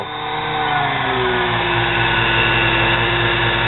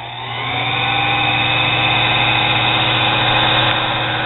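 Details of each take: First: Nano lathe motor tagged 110 V, run through its controller board from a variac: high motor whine surging up and down instead of holding steady; speed hunting, cause unconfirmed. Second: Nano lathe motor tagged 110 V, run through a controller from a Variac at 100–110 V, warmed up after about 15 minutes with bearings still a little warm. Steady hum with a smooth, even whine, no surging or rubbing; normal running.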